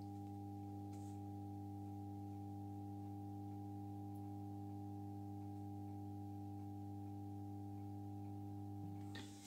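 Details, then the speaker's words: Aka Electric 2x250 W lamp fixture, refurbished, ballasts uncompensated with capacitors disconnected (about 650 W draw): after successful striking, steady low mains hum, smooth unchanging purr, no buzzing or rattling; ballasts healthy. "Voilà, donc l'amorçage s'est effectué avec succès. On entend les ballasts."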